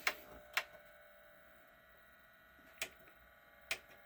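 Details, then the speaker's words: JVC 5-disc CD changer, previously heavily jammed, drawer stuck: sharp irregular mechanical clicks as it cycles and seems to want to spin but never spins up, showing "No disc" even with a pressed disc; changer not reading disc, cause unconfirmed. "It It sounds like it wants to spin it now. Now it's doing something different. Play. Will you play? No. No disc."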